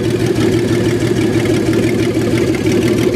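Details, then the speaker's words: 1994 Astro van engine after a base timing check: steady even idle with low hum and no misses; normal idle, though a misfire shows when revved. "a pretty good idle right now I'm going to rev it up"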